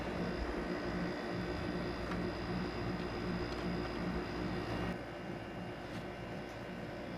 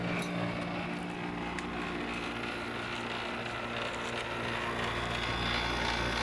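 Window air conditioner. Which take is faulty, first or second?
second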